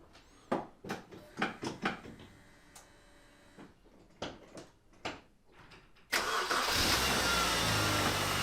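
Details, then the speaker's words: MINI R50, genuinely its first start after gearbox and clutch refit and gearbox oil refill: a few clicks, then it fires on the first turn and settles to an even idle. The owner notes a possible slight drag at the back. "And one thing I do love about the Minis, they just start, even if they haven't been used for months. First turn of the key and it works."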